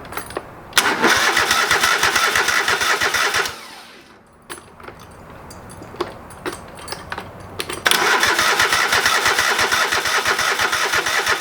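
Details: Old lawn mower's small engine just after a carburetor rebuild, with the bowl needing to fill with fuel. Bursts of cranking stop and restart, a long pause, then it catches and settles into a steady run. It fired, but not right up. Hard starting.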